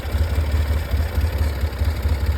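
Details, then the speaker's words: Polaris 700 quad, idle set around 950–1000 rpm: low lumpy idle pulsing up and down, won't settle smooth; rough idle, better than before, cause unconfirmed. "So yeah, I guess this thing runs. It's still not running great, but it's better."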